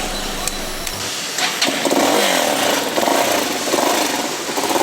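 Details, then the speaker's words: New Jector motorcycle after swapping the exhaust pipe (tubo de escape) at the customer's request: the engine starts and blips with a soft, even exhaust beat and no knocks, quieter than the louder original pipe. "Y con el nuevo cambio de tubo, amigos, que le hemos hecho, tiene un sonido más suave, miren. Vamos a prenderla. Efectivamente el sonido ha cambiado."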